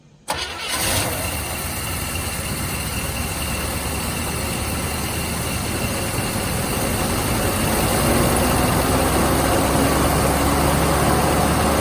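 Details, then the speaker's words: Chevy C10 V8 with a camshaft suspected flat on several lobes, running on seven cylinders after the broken pushrod and rocker arm were removed: cranks, catches and idles with an uneven loping beat from the dead cylinder. "okay so it's only gonna run on seven cylinders right now because i pulled the broken push rod and uh rocker arm out"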